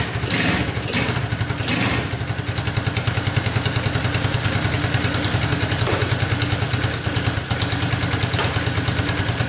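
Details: Tao Motors Chinese mini quad that wouldn't start, now running on a jump pack after its battery was found dead. The little single-cylinder engine catches and settles into a quick, even putter with no misses or knocks. Normal running.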